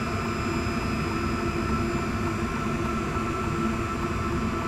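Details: Inexpensive diesel heater for a small workshop shed running on high after first burn-off: steady, even fan roar with constant low hum, no knocks or surging; earlier fuel pump ticking now faint and much reduced; normal running.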